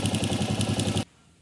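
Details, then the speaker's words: Honda CG 125 single idling with a sharp clatter of about eight knocks per second, getting louder with revs, which the customer took for valve noise. Pressing the rocker arms with a screwdriver stops it, showing rocker arm side play; the fix is replacing the internal washers. "vocês viram aí, galera, que o problema não é válvula. O problema tá aqui nesse cara."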